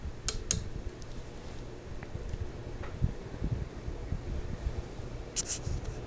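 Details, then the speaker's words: Sears Kenmore/Lasko 52-inch five-blade ceiling fan, likely CEI motor, on medium-high: soft steady blade whoosh like small helicopter blades, faint low hum, no rubbing or wobble clicks; running smoothly and quietly. "kind of sounds like small helicopter blades"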